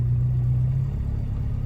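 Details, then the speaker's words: 1967 Alfa Romeo Giulia 1300 TI cold start after about a week unused, throttle hold set just above 1000 rpm: steady even low hum, no knocks or misses; healthy fast idle while warming. "so the throttle hold is working as well you can see it jumped up there so I brought it in a little bit too much so as you can see my foot is off the gas and now using the throttle we've got her holding up just a little bit above a th000"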